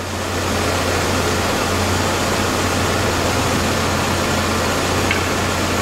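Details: 2001 GMC Sonoma 2.2L, replacement engine warmed up, heat and temperature good, before test drive: steady even low hum with soft fan rush, no knocks or misses; idling cleanly.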